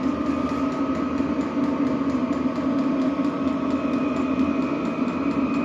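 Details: Vevor diesel heater (8 kW) soon after first ignition, heat exchanger still warming, barely smoking: steady combustion fan roar with even tone and fast light fuel pump ticks; burning smoothly at full output.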